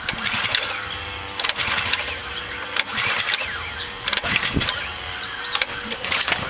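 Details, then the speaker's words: Ridgid RD80702 pressure washer, Robin fuel-injected engine, a former showroom display unit, first start after adding 12 oz oil and fuel; several short cranking bursts that never catch; the engine won't start, cause unknown. "Looks like it's dead. Was a showroom block model. So who knows what they did to it."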